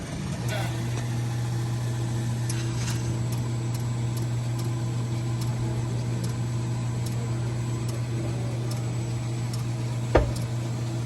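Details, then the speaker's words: Coffee machine troubleshooting no milk from the spout, after cleaning and rinsing the milk line, warm milk ordered: steady low pump hum at even pitch through the cycle, no surging or stuttering; normal milk dispensing cycle. "So we order warm milk. We'll see. Now there's milk in the flexible tube."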